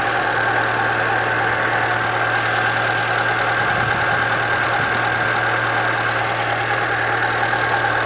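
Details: 2013 Chevrolet Celta 1.0 at idle: constant high whir with a faint rough rattle at the front of the engine, getting worse; timing belt replaced at 50,000 km without fixing it, and the owner suspects the water pump, which has slight play.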